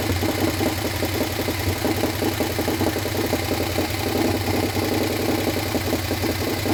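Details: Harley Sportster 1200 V-twin, swapped in after sitting outside full of water, first start without rebuild: lumpy idle with light uneven valvetrain tick; top end thought dry, expected to quiet down.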